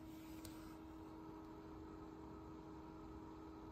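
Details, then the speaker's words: Yaesu FT-710 AESS transceiver, just switched on, on receive only, never transmitted: low steady hum with soft airy hiss, unchanging; cooling fan runs constantly, audible when volume is low. "you hear that hum it's the fan the fan runs it's right here the fan runs constantly even on receive I haven't even transmitted I just turned the radio on"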